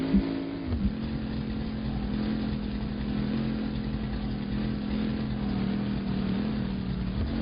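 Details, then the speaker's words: Straight-six pickup truck driving under light throttle: smooth, steady low drone with no knock or miss; engine running healthy. "Listen to that straight six purr."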